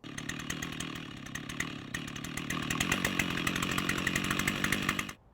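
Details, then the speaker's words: Stihl 088 chainsaw two-stroke, fully rebuilt yet still leaking air, at idle: rpm surges up and down every second or so instead of holding steady; idle speed hunting from an air leak, leaking carburettor throttle shaft suspected. "This incredible Stihl 088 chainsaw has a fluctuation in engine RPM at idle. It's a classic sign of an air leak."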